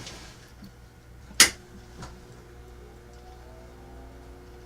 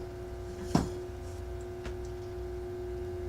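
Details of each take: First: Philco 47-1230 (1947) tube radio-phonograph record changer motor, which hummed but would not turn in the changer, now tested running freely with nothing connected: faint, steady hum of the small motor spinning on its own, with one sharp handling click. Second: 1947 Philco 47-1230 record changer motor brought up slowly on a variac to about 60 V: a steady low electrical hum with no spin-up because the motor won't turn; a wheel appears out of its proper position.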